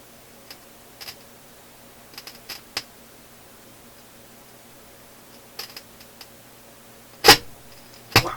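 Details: Philips console stereo tube receiver, tube just moved to the other socket at full voltage, now heard in the other channel: quiet hum with scattered sharp pops and crackles; intermittent popping fault, cause unconfirmed.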